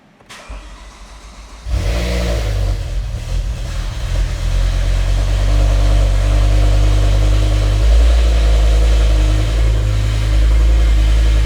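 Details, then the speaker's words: Revived E60 BMW M5, V10, 6-speed manual, salvage car with a previously locked engine: cranks, catches and settles into a steady idle with a constant whine over it from a noisy power steering pump; no check engine light. "I hate that pump. Stop whining. Every time with these power steering pumps. Every single time, same story."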